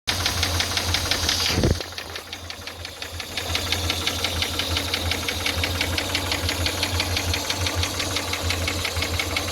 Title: 5VZFE engine knock, possibly connecting rod... 😒